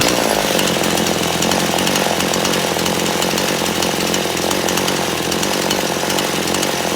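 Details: Chainsaw after carburetor adjustment: high, even two-stroke buzz holding steady speed without bogging or hunting; normal running.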